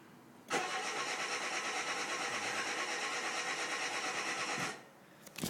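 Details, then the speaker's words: 2007 Renault Clio 1.6 paddle shift, start button pressed with brake held: starter spins the engine at an even steady rhythm for about four seconds, never fires and cuts off; cranks but won't start. "press the start button right there you can see at the same time to break very hard to see it's dark but it won't start"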